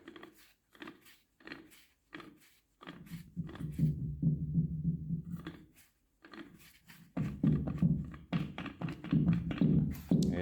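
Slow hand-turned bursts of low gritty rumble with pauses between strokes; the rough feel suggests worn bearings or gears, cause unconfirmed.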